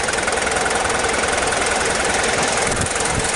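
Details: Mazda WLT diesel in a Ford Ranger after a VE injection pump swap, with timing eyeballed and the pump filled with 2-stroke oil after sitting. Steady, even diesel clatter with no stumbling or hunting; normal idle.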